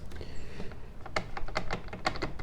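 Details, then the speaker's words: 1981 Corvette C3 clamshell seat shaken by hand: quick light plastic clicks and rattles; some backrest brackets okay, others pretty bad. Loose plastic seat backrest bracket rattle. "Do you hear that? The plastic rattling? This one is okay. This one is pretty bad."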